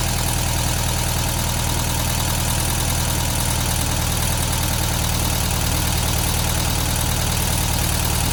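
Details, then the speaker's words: 1972 VW Beetle 1200 air-cooled flat-four idles steadily on all four cylinders after setting valve clearances, with light rapid ticking over the beat; the valves sound tappety and the owner suspects they were set too loose and need tightening. "That sounds quite packety to me actually. I think maybe we need to tighten those valves back up a little bit, but it is running on 4 cylinders now, definitely."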